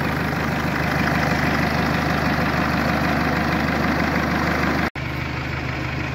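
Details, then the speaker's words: Mercedes A-Class 170 CDI diesel just restarted after replacing the failed turbo: steady diesel clatter at idle, even beat, no turbo whistle or surging; normal idle, fault was the turbo. "route bon ça a l'air de marcher on va aller essayer sur la route voir ce que ça donne"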